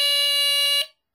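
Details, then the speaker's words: Late-1970s vintage BRK 3000 "Double System" smoke detector under test, alarming much faster than an earlier test's ~30 seconds: loud continuous piercing raspy tone under a second, then cuts off; alarm sounding properly. "I did not expect it to go off that fast I tested it like an hour ago and it it took like 30 seconds to go off"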